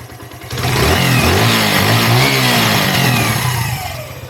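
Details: Herald 125 motorcycle single after fitting throttle and adjusting idle and mixture screw (was 5.5 turns out, rich): picks up cleanly from idle, rev climbs smoothly and settles back without misses; runs healthy.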